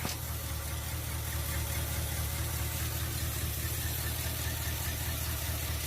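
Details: 1979 Chevy C20, 350 V8, four-speed, sat 19 years since 2005, fuel line run to a jug on 50:1 mix, first start: low, uneven idle with lumpy, irregular beat and no clean rhythm; rough running after long storage.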